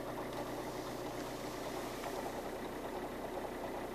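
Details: Alfa Romeo 159 JTDM diesel at idle: loose, uneven chattering rattle about two or three a second over the engine beat, which goes away when the clutch pedal is pressed; cause unknown.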